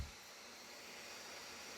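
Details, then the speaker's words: 2020 13-inch MacBook Pro base model after two months' use, lifted while just launching Premiere Pro: steady even hiss of hot air blowing out the underside, no pitch change or rattle; cooling fan loud under light load. "지금 기기를 드니까 바람 소리가 들리죠? 이 밑부분에"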